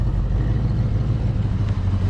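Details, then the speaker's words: 1986 Mustang GT 5.0 V8, sat 20 years, idling after distributor PIP sensor fix: low, steady, even idle, quiet with no ticking or misses; engine running cleanly. "All right. Not a single tick out of the motor, man. Oh, listen how quiet that sounds."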